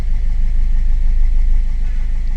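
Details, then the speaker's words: 2015 Ford EcoSport diesel (stated as 1.4 and as 1.5 L turbo) with the malfunction light on and a pickup problem: a low idle with an uneven, lumpy beat and vibration; fault code injector 3 circuit open, a dead cylinder causing the misfire. "Self rest injector సర్క్యూట్ఏ third injector circuit open problem ఉంది."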